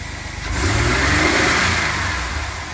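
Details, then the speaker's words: 2000 GMC Safari V6 van, 138,000 km, cold engine just after throttle position sensor replacement, free rev: quick clean climb, holds strongly before easing off, no misfire; sounds like secondaries opened, new since before; slight hesitation, owner waits for warm-up to judge. "That sounds like some secondaries opened up almost. Didn't do that before."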